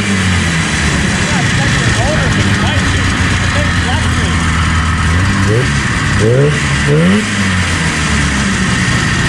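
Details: 1977 Arctic Cat El Tigre 4000 440cc free-air two-stroke, Mikuni round slides, after adjusting the needle clip position: idles evenly and picks up cleanly on each blip with no stumble or hesitation; bog gone, normal running.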